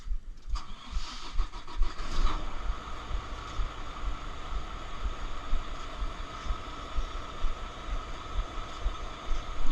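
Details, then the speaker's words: Volvo VNL760 diesel truck starting in neutral after battery replacement: brief crank, then fires and settles into a regular low chug without faltering; normal start. "let's put it in neutral and let's see if it starts there we have it now the truck is alive again"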